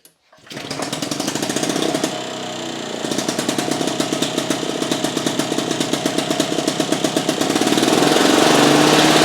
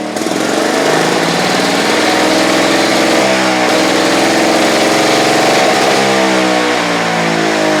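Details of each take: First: Victa Pro 550 Mulcher two-stroke mower after fitting the white cap on the diaphragm, fixing the vacuum leak that made it run away: crisp even bark climbs smoothly to full revs without hunting or surging, takes off like a rocket; normal running. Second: Victa Pro 550 Mulcher two-stroke mower, over-revving; later traced to the cap on the back side of the carburettor: high, steady, slightly hunting scream well above normal idle.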